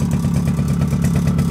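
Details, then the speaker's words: Suzuki LT50 two-stroke started after sitting 5 years, choke on, warming: steady idle of about eleven even pops a second with no misses or knocks, with a rattle from the clutch springs; running well, idle slightly high. "Started up, it's always been a good engine this one. Love it."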